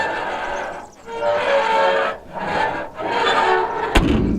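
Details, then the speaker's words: Mercedes-Benz W116, loud creaking groan rising and falling as the boot (trunk) lid opens, ending in a thud; likely not a factory noise, source not yet located. "horrible, isn't it? And I'm pretty sure from factory it was not making that noise."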